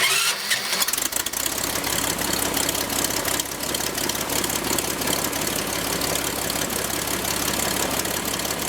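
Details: Franklin 165 aircraft engine test run after repairs for a blown cylinder: brief crank, then it catches and settles into a strong, even roar with a steady firing beat and prop wash; normal start and run.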